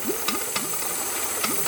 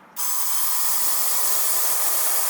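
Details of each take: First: Boost leak test with intake covered and blow-off plugged: steady airy hiss over the idle with light ticking; a small vacuum port on the wastegate is bleeding off a little vacuum. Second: Boost leak test on a dual-turbo car with air fed into the intake port: a steady strong hiss from the one known test line only, nothing escaping elsewhere; intake holds tight, no boost leaks.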